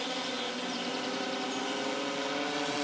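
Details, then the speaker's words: Hexacopter in flight with the front-left motor (number 5) deliberately cut by an Arduino: a dense high buzzing of several motors, with tones climbing as the remaining motors spin up to compensate for the stopped one. "air well not much really you hear the other motor spinning up in order to compensate for the one motor that stopped"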